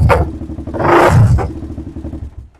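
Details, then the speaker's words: DVX400 single-cylinder quad, carb needle moved lower for testing: throttle blips then drops to lumpy idle with sharp pops as revs fall; mid-range too lean, deceleration backfire from back pressure, needle must go the other way. "what that's doing right there is it doesn't have enough in the mid-range. It's running too lean, so the second you drop down to idle, it wasn't enough fuel in there, and that back pressure causes that pop, so we definitely need to go the other way on the needle."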